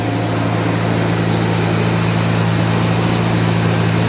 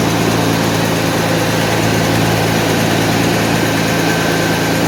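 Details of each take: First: 1991 Mercedes 190E just after new hydraulic lifters fitted, first start after sitting a day with lifters bled out: smooth steady idle, even low hum, no valvetrain ticking even before lifters fully filled; normal idle. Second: 1991 Mercedes 190E after hydraulic lifter replacement, fully cold fast idle around 1,200-1,300 rpm: loud busy steady drone with raspy puffing; owner suspects a tiny pinhole or seal leak in the exhaust; loud cold idle.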